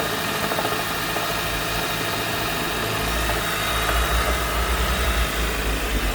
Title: Honda CR-V Mk5 Hybrid Knocking/Rattle Noise at Cold Start – Cause?